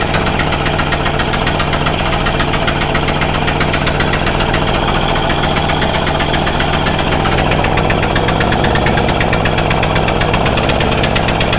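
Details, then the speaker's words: Stihl Magnum BR800 two-stroke blower at full throttle with choke off, after the high-speed needle is turned in slightly: loud, even, high-rev howl held steady with no bogging or surging, and a bit more pickup. Running normally. "so [Applause] that thing definitely had a little bit of a pickup"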